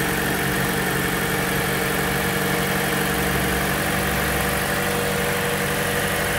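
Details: Accident-damaged auction Toyota Corolla started up: steady, even idle hum, constant, no knocks or misses; normal idle.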